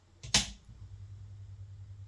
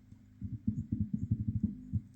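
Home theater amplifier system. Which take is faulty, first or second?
first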